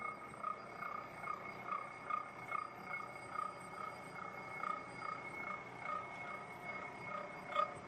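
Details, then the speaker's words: Hobbing machine about a third of the way through cutting a 127-tooth gear, running very slowly: soft rhythmic cutting chatter, occasional vibratory buzz, bell-like ringing from the gear, no hard hits; normal hobbing. "occasionally there's a little bit of a vibratory buzz and you can hear the the chatter of the cutting process and that's just the way it is."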